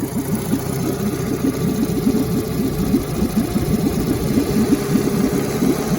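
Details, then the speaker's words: 1952 Johnson Seahorse 5 hp two-stroke outboard after setting coil gap to about three thousandths of an inch for stronger spark: even fast burble with steady firing, no misses; running much better. "running much better now"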